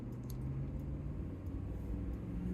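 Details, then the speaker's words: Chevy/GMC 6.5 turbo diesel with an aftermarket turbo, accelerating onto the highway at about 10 psi boost toward 100 km/h (60 mph): deep, even diesel rumble pulling steadily with no knocks or stumbles; healthy acceleration. "good acceleration nice and smooth and with this uh aftermarket turbo we're making you know when you start to get into the throttle we're at about 10 pounds of boost"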